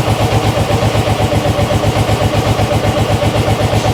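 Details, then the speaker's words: Motorcycle started after a hard start, warming up: steady, even idle thumping about four per second with no ticking or knocking; mechanically quiet, though it still won't take revs. "That's all right. Motor's lovely and quiet."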